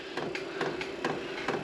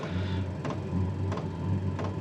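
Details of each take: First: maXpeedingrods 12V 8kW Chinese diesel heater, first start after garage install: sharp dry ticks about three a second over a faint hum; dosing pump priming diesel through the line, no heat or ignition yet. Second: maXpeedingrods 12V/24V 8kW Chinese diesel heater in a garage, powered via 12V transformer, firing on second attempt after self-priming following a time-out: steady low burner and fan roar, even and unbroken, light background knocks; running normally.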